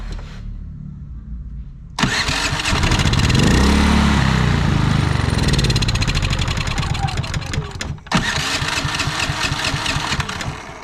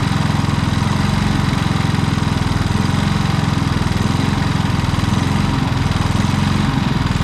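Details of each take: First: Predator generator with many hours surged after running out of gas. Even after carburetor jet cleaning, speed swells and sags unevenly, nearly dying; cause was a misadjusted idle stop screw. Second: Predator single-cylinder generator with many hours, which surged after a week of running and running out of gas, now runs steadily with no surging after adjusting the idle stop screw limiting the electronic idle; carburetor had only some dirt.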